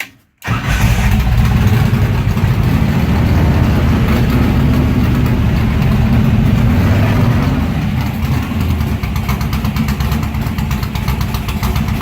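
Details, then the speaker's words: Warm engine with mechanical fuel injection at the end-of-day shutdown: fuel is shut off and it is left idling until it runs dry. It starts loud and rough, then the beat weakens and turns uneven as it starves of fuel and stops. "And then what I'll do is I'll shut the fuel off and just leave it run, leave it idle until it runs completely out of fuel."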